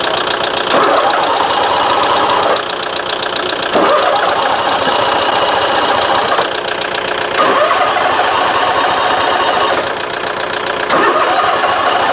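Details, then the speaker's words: Toro TimeCutter SS 4225 mower with a no-start condition, after its plugs were dried: repeated cranking bursts with coughing and a backfire, never catching. Flooded carburetor; a stuck float is suspected. "is it running that backfire carburetor is flooded how's it good"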